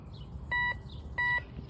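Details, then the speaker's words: Temu metal detector, turn-on-and-go with no discrimination, target reading 99 as a 1-cent coin at depth 3: two short mid-pitched beeps over quiet ground noise; signal bounces around on approach, owner suspects trash, target left undug. "But yeah, the signal's bouncing around the closer I get to it, leading me to believe it's some trash."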